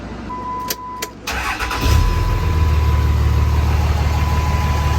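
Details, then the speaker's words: 2006 Dodge Cummins 2500 Mega Cab diesel with CTS3 Edge tuner, new injectors and repaired fuel injection pressure regulator: door chime, starter cranks and the engine catches into a slightly lumpy clatter before settling. Rough first start; owner guesses fuel pump cycling. No exhaust smoke. "little bit a rough first start but that's a pretty normal because it was i think i'm not sure why but maybe because it was cycling the fuel pump but other than that sounds good now"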